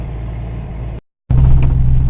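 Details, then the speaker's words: Old Ford LTD running after new spark plugs and plug wires; a bad plug wire had caused the miss. It gives an even, low drone with a regular beat and no stumble; after a test drive the misfire is gone, though the car still shifts poorly and rattles. "well i've driven it around a little bit and i don't have that mist anymore so that plug plug wire must have fixed it"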